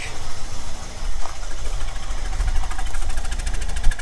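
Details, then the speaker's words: 1997 Chevrolet Camaro rescued from the crusher, runs on its own but with compression: uneven, lumpy idle with irregular stumbling beats, probably only about four cylinders firing; rough idle misfire, cause not confirmed. "well i' say that runs but man it doesn't sound good uhoo it's running on its own I don't know how many cylinders that's on"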